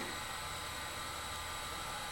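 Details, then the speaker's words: Macintosh Classic power-on after reseating a connection to fix the checkerboard screen, later confirmed a capacitor problem: thin steady high whine and soft fan hiss, even, no clicks or grinding; healthy startup. "Powering up, it seems okay. Okay."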